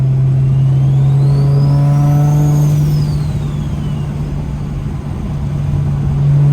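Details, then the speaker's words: Newly installed Precision Pulsar 6466 turbo cartridge, original housings reused, driving: loud clean whistle climbing and falling with throttle over steady engine drone, louder than before; normal healthy turbo spool. "[ __ ] this turbo is louder man this [ __ ] [ __ ] sounds crazy"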